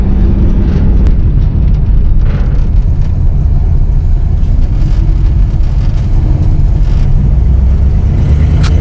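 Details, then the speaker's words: 1959 AMC Rambler 3-speed automatic, sat 40 years, after Seafoam Trans Tune, filter unchanged, first to second only: pulls away in first with smooth low drone, then quick clean upshift with no slip or flare; shifting now normal. "Here we go, first gear. Second gear. Easy, boom, that's it. It's fixed."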